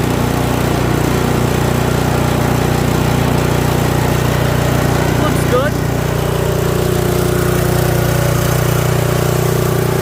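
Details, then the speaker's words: Toro 721R single-stage snowblower, unused for a few years, fresh fuel with stabilizer: low, even drone at constant speed with quiet, regular beat and no misfires; runs quiet and healthy. "Quiet. Sounds good."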